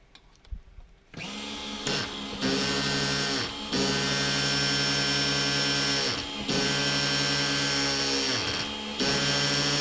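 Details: Reds R5 nitro RC engine, warming up, run indoors with a 3/8 fuel injection line on the pipe: high steady screaming buzz with brief throttle-blip dips, pulling back up cleanly; the sickening "chipmunk" noise from before is gone, normal running.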